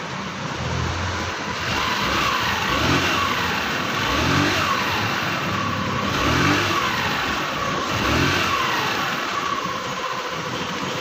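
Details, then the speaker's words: Scooter CVT after repair, cover back on: throttle blips every two seconds rise and fall smoothly with no rattle, grinding or judder; the earlier mouse-like squeak from the transmission is gone. "Tingnan natin kung mawawala na. Wala na. Tahimik na. Wala na. Parang bago na ulit."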